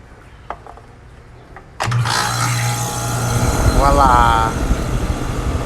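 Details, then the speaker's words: Rheem condenser after bulged 45/10 µF dual capacitor was replaced with two separate capacitors: quiet, then the unit kicks on with a steady low hum and fan rush; compressor and fan start and run normally. "all right fan working that hum get at compressor running"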